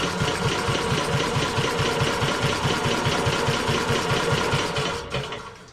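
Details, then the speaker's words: WWII Chore Horse 300 W battery charging set, model CH1 395-5, cranked via booster pack during a compression test reading about 70 psi, correct spec unknown; even rhythmic cranking about two beats a second, then winding down. "Okay, so it's got about 70 psi, so I don't know what the compression should be."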